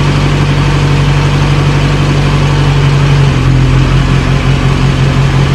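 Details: 1937 Morris 8 with pre-war 918cc four-cylinder, being recommissioned, idles with a loud, low, steady thrum and even beat, no knock or misfire, about 75 psi oil pressure, slightly smoky from oil around the valves; normal idle, first successful run.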